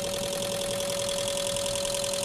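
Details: Peugeot 206 three-cylinder fuel injectors on a test bench simulating engine running at about 1,000 rpm, pressure nearly good: fast, even ticking pulses over a steady tone at a constant rate, all injectors spraying cleanly; normal injector operation.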